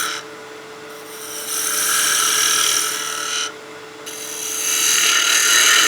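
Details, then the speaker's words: Woodturning a spinning top on a lathe with a half-inch spindle gouge, workpiece far out from the chuck: a harsh buzzy cutting hiss over a steady lathe hum. The gouge chatters because the cut is too aggressive for the support and diameter, and the tip runs slightly out of true. "So you can hear that noise. That's just a little bit too aggressive of a cut for the support that we have this far out of our chuck and this size of diameter."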